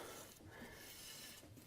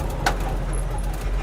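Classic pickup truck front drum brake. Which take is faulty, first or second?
first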